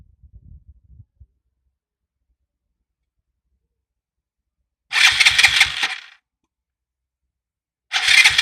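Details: 3-year-old Piaggio MP3 Yourban 300 scooter: two brief starter cranks of about a second with no firing; battery good, starter motor checked, starter relay new; start button sometimes feeds the relay only one second instead of six; intermittent no-start, cause unknown.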